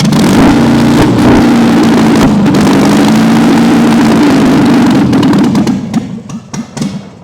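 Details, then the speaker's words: Long-dormant 1971 MGB engine: loud, steady, fairly even revving with low thrum, then winds down and cuts out; running slightly lean with almost 70 psi oil pressure. "Obviously, we're running a little on the lean side, but it's running and carrying almost 70 pounds of oil pressure."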